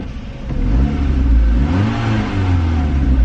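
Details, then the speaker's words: Ford Focus bought as a no-start, running about 10 minutes, possibly aftermarket muffler: deep throaty exhaust rising and falling smoothly when revved, no knocks or misses; normal revving. "i think kind of sounds like a mini cooper that i"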